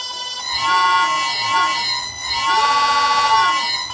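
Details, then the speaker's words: Vintage Karger lathe without a frequency drive: high ringing harmonic whine near a kilohertz with overtones, bending with spindle speed, then cutting off. "harmonic noise but unfortunately that wasn't possible so instead I'm going to look at these blue nano inserts Banggood is selling"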